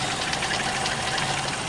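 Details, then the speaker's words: 1991 Toyota Kijang at idle with AC on, power steering working: even, steady idle with a light tappety top end, no knock or stumble; engine smooth and healthy. "Kita hidupkan AC. Nih mesin halus, AC-nya juga masih aktif ya."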